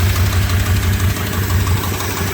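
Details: 2002 Dodge Durango SLT 4.7L 4x4, engine at 108k miles, sat about a year, intake removed after a throttle-body clean, cat into a cherry bomb: low, slightly uneven idle with a faint lope in gusting wind; it idles rough.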